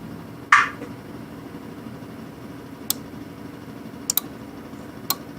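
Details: 1998 Ford Expedition parasitic draw test with a lead bridging the battery post and terminal: sharp, irregular relay clicks at the fuse box. Excessive draw is suspected; the circuit is being hunted by pulling fuses.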